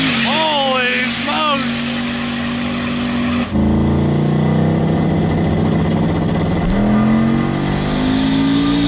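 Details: Drag car "Ruby", eighth-mile test pass after O2 sensor was fixed: engine note climbs cleanly and evenly through each gear without stumbling or popping, pulling hard and running happier.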